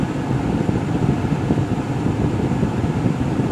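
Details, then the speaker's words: 2004 Mercury Grand Marquis HVAC after replacing the fried blower control module: A/C compressor kicks on, then a steady low whooshing air rush from the dash, no squeal or rattle; blower fan operating normally after repair. "Compressor kicked on. Here comes the fan. And it's now blowing up the dash."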